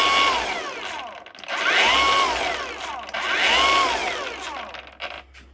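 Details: Battery mini chainsaw (Chinese Makita copy) after controller replacement for a beeping no-start fault, with the oil hose also replaced: the motor spins up to a clean high whine, holds, then winds down, twice over, with no rattle or grinding. It is running normally.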